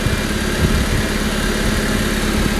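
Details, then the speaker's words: 2001 Honda Civic Sedan after fixing belt squeal caused by a missing alternator bolt: smooth low idle with faint steady hum, no squeal or chirp; belt drive quiet and healthy. "think I don't hear any screaming"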